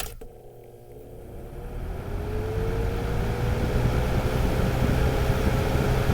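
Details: Lasko 3733 20-inch box fan (c.2019–2020), mic close to the motor at the rear, switched to medium speed: the motor hum climbs in pitch, then holds a steady tone over a soft air rush, running normally.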